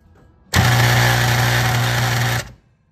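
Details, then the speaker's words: Industrial motor-control contactor: loud harsh two-second electrical buzz-rattle, chattering because its coil's magnetic field is too weak to pull the contactor fully in. "that so what is happening here is that there is a coil which we will excit take in order to create a magnetic field that pulls in a set of irons to complete the circuit however the magnetism being generated is not strong enough to pull the contactor completely down and that's why there is noise occurring"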